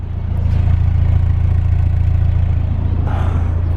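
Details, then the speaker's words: 1991 Mazda Miata 1.6L warm idle after cold start, with new cheap aftermarket headers replacing cracked stock headers that leaked exhaust, stock intake; engine bay and exhaust sound: quiet, even low rumble, no ticking or exhaust puffing, healthy. "okay we're warm idly nice yeah she sounds really quiet you can barely even hear anything but you can't even hear nothing for my day"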